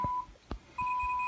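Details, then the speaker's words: Mach 3 arcade game with Dexter laserdisc replacement board, test mode after adjusting R39: clean steady high beep, brief dropout, faint overtone. Normal decoder test tone, typical for these boards. "so that's that I would consider normal behavior that's that's typical for these boards and works very well in the game"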